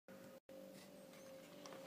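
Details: Kyosho Scorpion XXL VE RC car after upgrading to a 16t pinion set with the paper method: steady mid-pitched whine through the run, dropping out briefly with the motor; gear mesh noise, cause not yet found.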